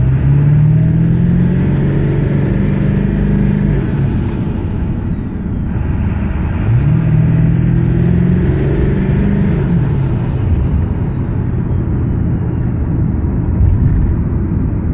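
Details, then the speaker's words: Ford 7.3 Powerstroke diesel after turbo upgrade with new compressor housing and wheel, first start: clear high whistle rising and falling twice with revs over diesel rumble; healthy turbo spool, sounds different than before. "way different. Got that nice whistle sound. I like it."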